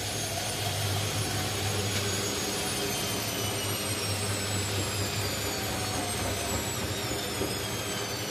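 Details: Indesit mini washing machine during an unbalanced full spin: loud constant roar with whistling tones slowly drifting in pitch; worn drum bearings.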